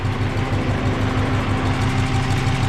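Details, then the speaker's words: Subaru BRAT after an engine swap, first start of the replacement engine: steady, even idle with no smoke, taps, rattles or rod knock, unlike the knocking previous engine; healthy. "sounds pretty good doesn't smoke Andrew doesn't rattle no noisy tap it snow or no rods knocking no nods are rocking nothing like that it's good"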